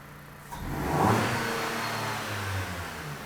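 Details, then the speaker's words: 2007 Dodge Caliber that ran badly and wouldn't rev despite two new PCMs, intake tube off, after a throttle body relearn: a single clean blip rises quickly and falls smoothly to idle with no stumble. Seems fixed; normal throttle response. "alright sounds like it's fixed go ahead and shut it off and we'll just check codes quick"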